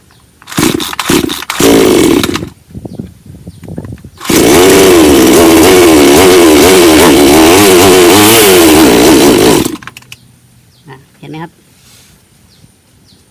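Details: Bonto 5200 chainsaw that would not start after long disuse left stale fuel in the tank: a few quick pull-starts, then it catches and revs freely, rising and falling smoothly for five seconds before cutting off; normal running.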